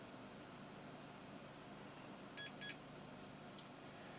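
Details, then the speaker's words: Dell Precision workstation at boot in a quiet room: two short high beeps about a quarter second apart, a POST error warning; a CMOS battery failure is probably the cause, not confirmed. It goes on to boot into Windows. "Right, let's see what we've got here. Well, time and so obviously we've got a CMOS battery probably failure."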